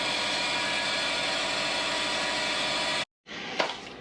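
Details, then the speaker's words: Subaru with a belt squeal that rises with revs, is not power steering or clutch related, and gets quieter once warm: loud, steady high-pitched squeal. Loosening the pulley points to the worn adjuster/idler pulley bearing; a new one is needed. "Alright guys, pretty sure it is the adjuster pulley."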